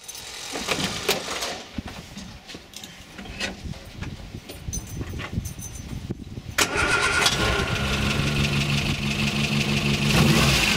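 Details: Morris Minor with known ignition problems: after a long crank it catches to a lumpy, uneven idle with a regular stumble, one cylinder dropping out.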